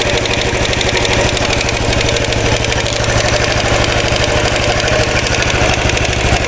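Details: 2013 Royal Enfield Classic 500 single-cylinder, first start after an engine rebuild, screwdriver used as stethoscope: decompressor noise gone, but a fast, uneven oscillating metallic rattle rides over the steady idle; source unknown.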